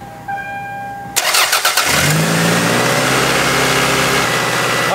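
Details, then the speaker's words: Engine started with a vacuum line deliberately pulled on the side of the intake manifold: cranks, catches and holds a steady, too-high idle that never drops back; high idle from vacuum leak. "So, as you guys can probably tell, the engine is running way too high due to this vacuum leak. And that's one of the signs of hanging accurate high RPM at idle."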